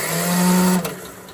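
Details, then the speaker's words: Craftsman riding mower that died while mowing, cranked on a jump box: starter spins the engine fast and evenly with no compression pulses at all; zero compression. "Absolutely zero compression."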